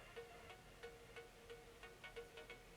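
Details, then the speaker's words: Panda-shaped 3.5 mm jack speaker with a Samsung S4 mini seated in its holder: a quiet steady tone broken by soft crackling pops about three times a second. It crackles only with the phone inside; the owner suspects Wi-Fi interference or a defect. "Mais quand je mets mon portable dedans, il grésille. Vous allez voir."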